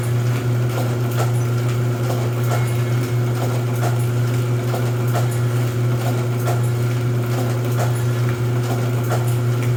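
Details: Rosback 250C (318) 3-knife trimmer with CueFeed feeder, new DC controller fitted, delivery not running so books caught by hand: steady motor hum with light, regular, unlabored knife-cycle clack; normal trimmer running cycle.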